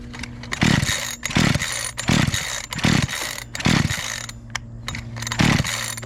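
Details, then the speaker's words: Makita EA3200S chainsaw after a year in storage, primed, choked then switched to run: sputtering two-stroke bursts about once a second that fire but never catch to a steady run, caused by a hardened carburetor fuel pump diaphragm. "give it a few primes see what it does kicked right over put it into run did did kick over"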